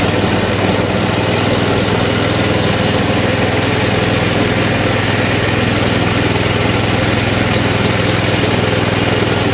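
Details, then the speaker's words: Coleman CT200 mini bike with non-adjustable carburetor idling at 2450 rpm versus spec 1700 ±150: fast, busy, steady drone with no hunting; throttle return spring has too much tension holding it open. "24.50 that's idling supposed to be idling at 24.50 okay so there's your idle 2450. i don't think that's within 150 rpms of 1700"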